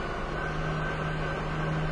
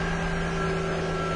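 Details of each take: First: 2000 Nissan Maxima, failed emissions on high NOx with no check engine light; idle stays steady with no dip when the scan tool tries to command the EGR valve open. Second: 2000 Nissan Maxima that failed emissions on high NOx, idling after clogged EGR tube was cleared; starts right up, steady smooth idle with low hum, smoother than when it came in. Normal idle.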